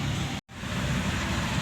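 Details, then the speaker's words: Suzuki Ignis K12C petrol engine after head gasket replacement, previously misfiring, wouldn't idle and only ran above about 3000 rpm: warming up, smooth steady low hum with no ticking, misfire or knocking, expected to settle at 800-900 rpm; normal idle. "कोई sound नहीं है गाड़ी में कोई कुछ नहीं है गाड़ी मालूम ही नहीं पड़ा गाड़ी स्टार्ट है"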